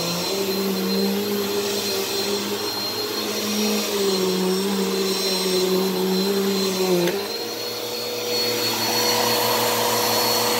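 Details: Repaired "baby blue" classic vacuum, said to work perfectly: an even, steady motor whine that dips briefly in pitch as the load changes, then holds smooth. Normal running.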